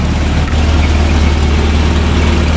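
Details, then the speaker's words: Toyota RA40 with a 22RE engine, after the cold start issue was fixed: a loud, steady low rumble with an even beat and no misses or knocks. The cold engine idles cleanly. "that's all sorted now I mean it doesn't look the greatest doesn't look great at all but it works it works"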